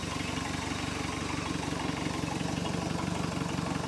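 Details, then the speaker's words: 1973 Larson boat, MerCruiser 120hp 2.5L four-cylinder, started dead cold after over 50 hours sitting, choke partly open: steady low putter with even firing pulses and no misses; normal cold idle. "she's a runner that's from dead cold over 50 hours of sitting"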